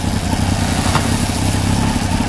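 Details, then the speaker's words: 1993 Honda CBR900RR on rear stand, out of museum storage, aftermarket exhaust deeper and throatier than stock: even, throaty idle with a steady low beat, no stumbling or clutch clatter; normal. "I don't know how well the microphone picks up the exhaust but singing deep and throaty compared to the stock"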